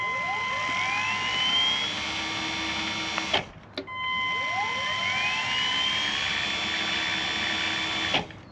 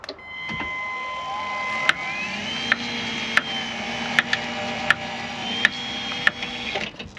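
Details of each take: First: Caravan motor mover run while disengaged: a whine climbs smoothly to a steady high pitch, stops, then repeats with no clicking. The mover works fine, but it clicks when moving, with no speed difference forwards or backwards. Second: Caravan motor mover, clicking while driving the roller forward: sharp click about every three-quarter second over a rising motor whine, felt more at one end of the metal casing; bearing or mover gearing under load suspected, not confirmed.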